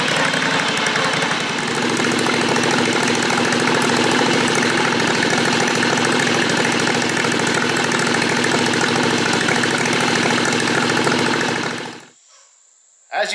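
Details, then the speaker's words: JD214 mud mower with Predator 670 V-twin, new muffler baffle; loud, rough running with a choppy beat, then abrupt cut-out; muffler caught fire again; stumbles at speed, owner unsure if lean or rich; exhaust backfire and stumble. "you just saw we caught fire again now when I first crank it up and it's in the engine's cool and the exhaust is probably as cool as it's going to be in its Run Cycle I take off down the road and it runs okay it stumbles a little bit at speed"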